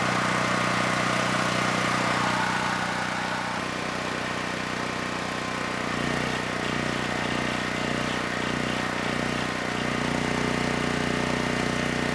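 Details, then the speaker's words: Generac GP6500E generator after repair of seized engine, warmed up, load applied up to 6,000 W near max: steady, even drone settling slightly as load comes on, no surging or hunting; held 121 V, just below 59 Hz, no issues. "This generator had absolutely no issues handling the load."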